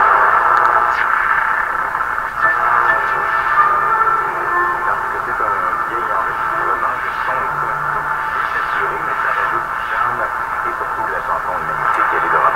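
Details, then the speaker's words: Canadian RCA Victor Model 5T5 radio after front-end alignment, on external antenna: clear AM broadcast of voice and music with only light static and no hum or howl; receiving well. "that's really impressive that we can pick up an AM station that's really impressive so this is among the best radios I've had in here"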